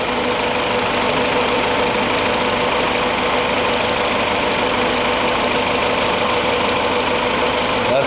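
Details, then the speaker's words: 1953 Willys CJ3A L-head with mechanical non-roller lifters and a 0.016 in gap, idling as it warms toward a 175–180° thermostat: even idle with a light quick valve tap; expected and normal. "these engines are uh uh have mechanical lifters and uh uh non roller taets and they are uh supposed to have a slight point0 16 Gap you get a slight tap but that's uh to be expected"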